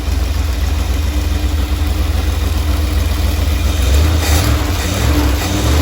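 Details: Either the 1977 Dodge Ramcharger 440 or the 1968 D-100 318 V8 at operating temperature, idling at 800 rpm with timing about 3° after top dead center (should likely be at or before TDC): a deep, even rumble with no misses, knocks or ticks.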